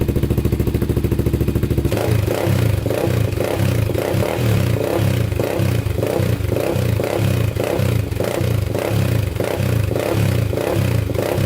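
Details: 1999 Honda 400EX freshly rebuilt, first start with choke on: smooth single-cylinder idle with repeated quick throttle blips rising and falling cleanly during break-in; sounds really good, no smoke.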